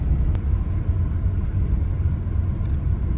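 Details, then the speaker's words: Car on new Ceat Secura Drive tyres, driving on asphalt with windows open: low soft road rumble with no hum, growl or whine; normal low tyre noise, new tyres typically get louder after 1-1.5 years. "तर असा काही टायरचे noise आहे, कमी noise आहे खूप जास्त. Actually नवीन जेव्हा tyre असतात तेव्हा ते नॉइज कमीच असते, नंतर मग 1-1.5 वर्षानंतर आपल्याला जाणवायला लागते."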